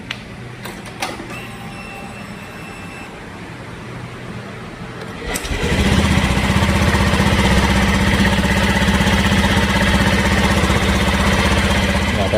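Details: Matic (automatic) scooter just fitted with a KTC Racing coil and plug cap, replacing the standard coil: quiet at first, then the engine catches and settles into a steady, even idle with a regular four-per-second beat; runs healthy.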